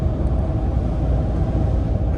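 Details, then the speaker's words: In-cab recording at highway speed on newly fitted Prinx HiCountry R/T tires: steady, smooth low rumble with only slight tire noise, no hum, wobble or thump, far quieter than the worn tires removed; normal tire road noise. "I don't know if you can hear any road noise. It's got just a little bit of tire noise, but of course it's way quieter than the ones we took off, just for the fact that we had so many miles on them."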